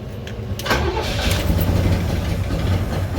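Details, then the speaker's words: V8 (352 mentioned) after a distributor change and firing order changes: it catches and settles into a lumpy, uneven, hunting idle. Idle and tune are still not set right. "I ain't got the idle all the way right yet. I still ain't got the tune perfect, but it's good. It's crunk."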